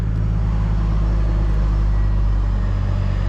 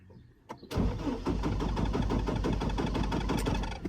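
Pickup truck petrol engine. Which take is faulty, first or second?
second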